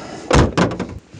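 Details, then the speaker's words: UAZ Patriot, 8 years and 100,000 km: two solid door thumps then a short hollow rattle and buzz inside the door from the factory sound-deadening panel that has come unglued, rust underneath. "послушайте как играю шумоизоляция"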